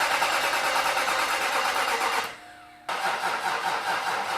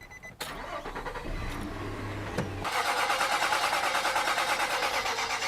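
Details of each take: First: Nissan Titan with rebuilt VK56 engine, fuel pump fuse pulled to prime oil: starter turns slowly about three beats a second, pauses, then drags; battery off the truck seven months and dying. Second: Nissan Titan with rebuilt VK56 engine, cranking with fuel pump fuse pulled on jumpers: even starter churn about three beats a second, no firing or knocks, until oil pressure shows and warning light goes off.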